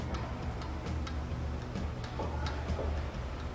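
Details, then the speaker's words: 2018 Toyota Corolla front shock absorber removed and pumped by hand: sharp metallic ticks about twice a second from a bent shock rod with play, cause of metallic noise in front suspension; replaced with new shock. "olá viu que ele tava sambando e Olha a folga o barulho"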